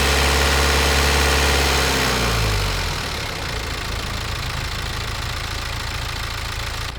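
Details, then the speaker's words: Warm diesel with piezoelectric injectors revved to 1,500–2,000 rpm, microphone near the engine: quick, even injector tick that keeps pace with engine speed, then settles; normal injector noise, not a fault. "इंजेक्टरों की आवाज़ का समय इंजन की गति के साथ मेल खाता है, जो बिल्कुल सही है।"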